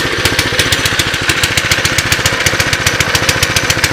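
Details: 2006 Baja Warrior single-cylinder minibike, apparently low mileage, cold start with the choke off: steady putting at about six beats a second, a little lumpy and uneven; runs a little rich, carb rebuild planned.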